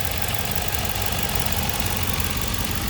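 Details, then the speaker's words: 2007 Ford Explorer V8, 115,000 km, under the hood, oil possibly freshly changed, belts and hoses good: steady low rumble with an even beat, no knocking or misses; runs smooth, normal idle. "seems to run smooth enough"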